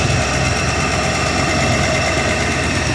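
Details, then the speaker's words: 305 H.O. L69 small-block Chevy V8 at idle; steady idle with a light, fast, even ticking on top; suspected lifter tick, unconfirmed. "we're looking for a lifter tick I know you guys can hear that going on there"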